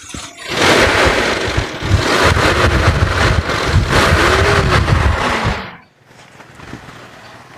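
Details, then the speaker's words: 1996 Toyota Kijang KF42 Super G, 148,000 km original, dry engine with no smoke: revved in a couple of blips and settling back to a smooth, quiet idle with no knocks or misfires; sounds healthy. "kita geber pun suaranya masih enak masih oke"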